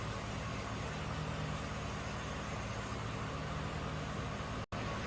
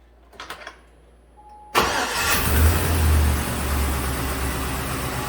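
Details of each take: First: Warm idle on a 2006 GMC Sierra 1500 4x4 5.3 V8 (VIN T) after a new bank 2 sensor 1 O2 sensor and a fuel trim reset, running in closed loop. The idle is even and steady with a smooth low drone and no misses or knocks, a normal idle. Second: 2006 GM truck 5.3 V8 first start after head gasket failure and coolant-in-cylinder repair, fresh oil: cranks, catches, idles with rapid ticking puff; owner suspects exhaust leak at flange reinstalled without new gasket, possibly a loose plug wire sparking.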